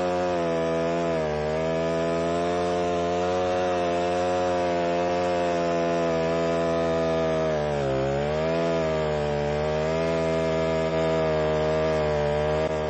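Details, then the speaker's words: Alpine Magnum stump grinder cutting a trench in wet soil: the engine drone sags in pitch for a second or so, then recovers. The motor bogs under load. "so depending on the type of soil that you're in if if this happens to be a little bit on the wet side and so you can hear the motor bogging down a little bit"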